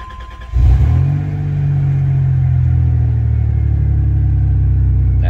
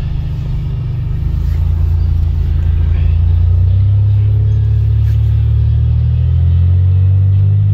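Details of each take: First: 1990 Dodge Grand Caravan LE, cold start around 35°F the day after first getting it running: catches cleanly into a smooth, even idle; earlier sticky-lifter ticking gone, likely freed by the heat cycle, no valvetrain noise. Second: 1990 Dodge Grand Caravan LE, just revived, on test drive: deep, loud booming drone swelling as van pulls away; muffler leaking, with more exhaust escaping from the muffler than out the tailpipe.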